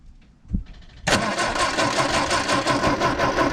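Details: 1967 MGB GT project, sat since last summer, jumped from another battery, clutch in: starter churns at a steady pulsing three beats a second, never catches; cranks but won't start, fuel pump suspected.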